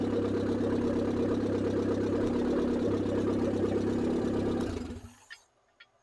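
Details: Newly built carbureted turbocharged Mazda B6D engine, first run: steady even idle with clean low hum, then quick shutdown, turbo still spinning afterward; runs smoothly.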